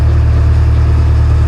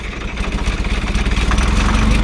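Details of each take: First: Old Grove crane with a Detroit two-stroke diesel, sitting 10+ years, restarted: deep, steady, even idle drone with no knocks or misfires, oil pressure up, runs smoothly as if just shut off; normal idle. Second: Old Grove crane diesel, unused for over 10 years, cranking after fuel bleeding: heavy churn at a few beats a second that dips and picks up, but it won't fire. Owner suspects a stuck fuel shutdown, since fuel reaches the rack.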